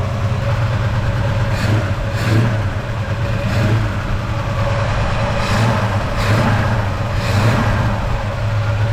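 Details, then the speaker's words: Ford 302 V8 before rebuild, one cylinder's header over 200 degrees cooler (dead) and another down: deep, lumpy running that stumbles through throttle blips, with heavy blow-by. Misfire from suspected failed rings and a blown head gasket on that cylinder. "As you can see, we've got a fair bit of blow-by as well, so I dare say our rings have probably left the chat. Pretty positive we've blown a head gasket on that one cylinder."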